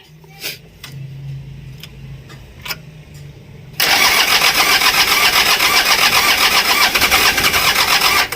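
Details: Mitsubishi L300 diesel after a hard-start and white-smoke fix covering the injection pump, injectors, fuel filter, timing and glow plugs. A few cranking ticks, then it catches at once into a steady, even clatter with no white smoke.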